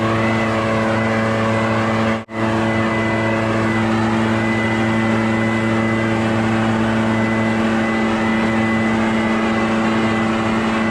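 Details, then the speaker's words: Barn-find Echo PB650 backpack blower on fresh gas after years stored, clearing a shingle roof: high, steady two-stroke howl holding constant pitch apart from one brief drop; normal running under load. "so it's working pretty dang good"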